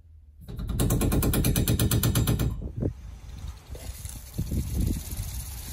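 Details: Rapid heavy water hammer, about ten bangs a second, then slower thumps, shakes the garage water supply when the sprinkler zones open. It was traced to the water heater expansion tank pushing water backward when street pressure drops.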